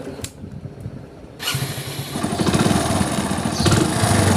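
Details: Hero Splendor Plus single-cylinder motorcycle after timing chain noise repair: engine fires up and settles into an even, healthy thump with no chain rattle.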